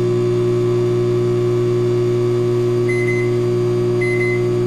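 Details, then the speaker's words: Philco PMS24 microwave tested with a glass of water inside; it makes a loud, steady, deep hum with faint chirps and does not heat water or food. Cause not yet identified. Loud hum, not heating. "muito alto tá vendo fez um barulho muito alto e não aquece os alimentos tá pessoal"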